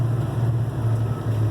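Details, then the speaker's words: Born Free motorhome at 115,000 miles, on a highway test drive. Smooth low engine drone under road and wind noise, no clicking, clunking or tappet rattle; engine strong and healthy at cruise. "There's no engine noise. There's no clicking, no clunking, no tappets rattling or any of that kind of stuff."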